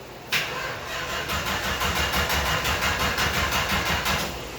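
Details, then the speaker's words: 1964 Dodge Dart carbureted engine, throttle pumped too much: even cranking about three turns a second that churns without catching; flooded engine. "It's a little flooded. So when it's flooded, I usually hold it wide open for a second, and that'll dry out the air. It'll lean out the mixture, and then it'll start."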